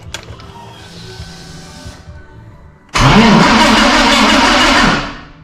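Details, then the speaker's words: BMW E30 M3 cranked for the first time after a gearbox swap to an SK box: a quiet stretch, then a sudden loud harsh whirr that cuts off; the starter doesn't mesh properly with the flywheel on this gearbox. "it is starting but the what I figured out basically the starter and the flywheel do not work with this SK box which is bad"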